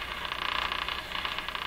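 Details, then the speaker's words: Crosley 43FB farm radio after capacitor replacement: between stations, as the AVC turns up gain, the hiss carries a fast, even ticking; seems to come in on the antenna, possibly interference, cause unconfirmed. "Like ticking. You can see that you can only hear the ticking when the AVC has turned up the radio in between stations, or other noise signals."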